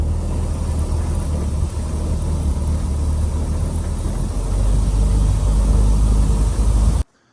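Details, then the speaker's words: 2.4L Toyota truck at full throttle on the road, still bogging: flat, muffled low drone that barely climbs. Exhaust restricted by a clogged catalytic converter. "It's still doing the same exact thing. Like that's floored. That's floored. We're going to go out here on the road, which is silly. Nope, it's not working right at all."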